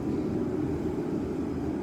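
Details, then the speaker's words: Sunfire heater running after lighting: steady, even roar from burner and fan with no sputter, pulsing or rattle; startup black smoke puff said to be normal; heater running normally. "I hear the igniter going. The fan goes, and it should fire."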